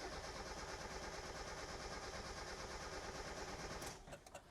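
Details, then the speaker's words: Mazda Miata 1.6 L cranked on a 12V 100Ah LiFePO4 battery: fast, strong starter churn about three turns a second for four seconds, but the engine never catches. The owner suspects a bad fuel pump. "yeah, it's cranking really strong. I think the fuel pump might be bad in this car, so it might take me a little bit of cranking to get it to start."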